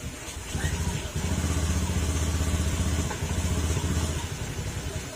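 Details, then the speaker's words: Honda Beat FI scooter after repair of hard starting, stalling and misfire (fuel pump suspected), DTCs erased and reset: small revs rise and settle cleanly with no stumbles; misfire gone, idle smooth again. "Wala na yung palya oh. Okay na back na natin."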